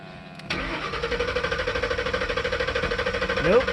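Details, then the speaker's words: 1999 Lincoln 4.6 V8, computer-controlled, converted to old-school propane with intake tract off, tank possibly nearly empty, pedal pressed slightly; click then steady cranking about three beats a second, never fires. Crank no start; cause unconfirmed. "it is not liking it. Ain't gonna happen. I knew this was gonna be a waste of time, but I figured it'd at least cough and chug and sputter, and Rusty."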